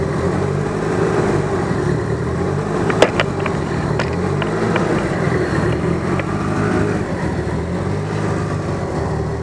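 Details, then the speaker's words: DSM on Haltech ECU after fitting The Harness Shop K-series coil-on-plug kit, no tune adjustment: catches and settles into steady, even idle with no misfire or stumble, a couple of faint early clicks; normal idle. "She should turn on just like the other one did, without any adjustment to the tune. There you go. You fire it up."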